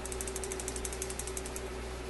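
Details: Admiral suitcase record player after cleaning sticky end-of-record trip parts: quick run of light ratcheting ticks as changer teeth engage and drive the wheel round, then a soft reset clunk; mechanism working.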